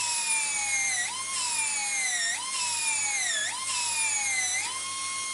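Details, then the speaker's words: Slot car after motor change, run at about 4.5 volts with axle pushed to tighten angled gear mesh: high strained whine sagging and recovering about once a second; rough gear mesh during run-in. "run the gears in for you and it will sound horrible and you'll be thinking how is he doing but trust me it works"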